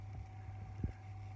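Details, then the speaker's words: Grundig TK40/TK46 valve reel-to-reel that would not play, after fitting a Tandberg 3300X idler with its bore widened by sandpaper: pressing play gives a quiet steady motor hum and a soft thump as the new pinch roller engages, then a normal even run. "when I push the play button the roller engages the new pinch roller engages"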